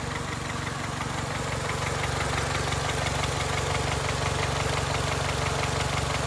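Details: 2002 Honda Accord, 260,000 miles: sharp, even knock about three times a second over a steady idle; owner unsure whether it needs a valve adjustment or has rod knock: engine knock at idle.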